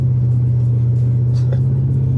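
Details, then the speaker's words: Lexus LS400 4L V8, almost 200,000 miles, on the road at light cruise: heavy, steady low booming hum filling the cabin. The exhaust drone only stops at about 50. "I'll wait until the exhaust drone stops. You have to hit about 50."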